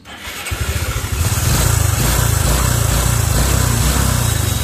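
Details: Honda Future 125 motorcycle fires up into a fast, slightly irregular clattery idle; cam chain tensioner failed, letting the chain slap, and the cam sprocket was found worn after disassembly.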